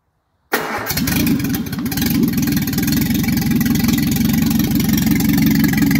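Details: Triumph Spitfire MK3, first engine start after a complete rebuild: a quick crank, catches at once, then a steady, even idle with no knocks or ticks. Healthy start.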